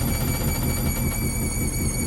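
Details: Hoover Link Whites 90 Aqua Plus washer on a spin with a heavy full load of wet shed rags and sheets; heavy low rumble with a thin high whine, an unbalanced load shaking the drum.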